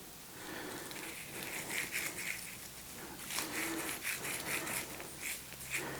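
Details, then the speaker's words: Planet X London Road bike, GXP bottom bracket spun by hand: uneven gritty rasping bursts with no smooth spin. The bearing is worn out. "So what is it? It's a GXP. We've had one of these before. Right. Yeah, that's mullered."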